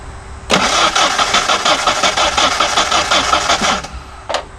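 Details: Vehicle with the fuel pump relay heard clicking: starter spins the engine steadily for about three seconds but it never fires. Crank, no start; very little fuel pressure found, suspected fuel delivery issue, not confirmed.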